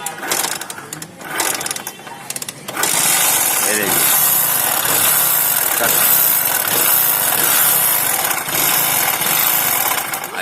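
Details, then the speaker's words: Bajaj Discover motorcycle started and running with a harsh, uneven knocking through its clatter; mechanic attributes noise to piston and connecting rod, also one-way gear, requiring head and block opening: connecting rod and piston knock. "इसमें अभी देखना पड़ेगा, इसमें पिस्टन का आवाज़ आएगा और इसे कनेक्टिंग रॉड का भी आवाज़ आता है,"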